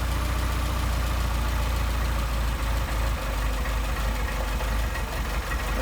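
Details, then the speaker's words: Mercedes 190SL with Solex carburetors: a steady, lumpy low idle that sags and roughens as the idle mixture screw is turned in, leaning the mixture and dropping idle speed. "here's idle mixture screw screwing it in you'll be able to hear the end the idle drop"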